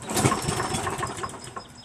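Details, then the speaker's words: Craftsman 7 HP self-propelled mower, little fuel, primed, pull-start attempt: irregular sharp pops and brief chuffs, never settling; timing suspected off from a damaged flywheel keyway, not confirmed. "Just depends on where that flywheel is pointed at, you know? You know, the keyway is probably jacked. That's probably why. See how it pops like that? Timing's off."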